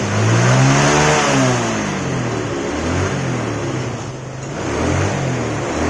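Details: Yamaha Mio scooter after carburetor reassembly, previously sputtering at high rpm: revs now climb and fall smoothly with no sputter or misfire at the top.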